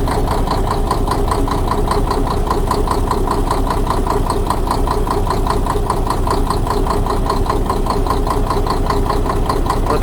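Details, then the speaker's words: Diesel engine with an even, sharp knock of about 150 a minute over the idle, as injector lines are loosened one at a time; the knock stops only when the cylinder one line is cracked, pointing to an injector or pump-section knock. "получается ничего не изменилось как короче откручиваем форсунки ничего не меняется и вот последние уже откручиваем и пропадает стук"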